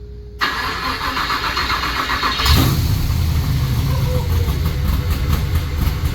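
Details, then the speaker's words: GMC truck with open exhaust, push-button start, first start: cranks briefly, catches right away and settles into a loud, lumpy idle; starts cleanly and runs fine but needs a lot of tuning. "So you see, started right up, sounds good. I love it. Needs a lot of tuning, but It does."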